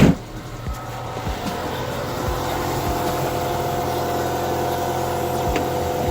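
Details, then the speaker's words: Nissan Altima at cold idle, about minus 23, after a small power steering leak in winter: a steady high whine from the fluid-starved pump, getting noisy before a top-off with Marvel Mystery Oil quieted it. "Really getting noisy. Hopefully the noise stops or goes down a bit."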